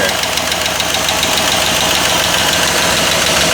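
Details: Chevy Silverado 4x4 after engine swap (old engine blew head gasket), first start on booster pack: busy rapid ticking, about three and a half per second over a loud idle, quieting as it runs; top-end ticking suspected dry at startup, not confirmed.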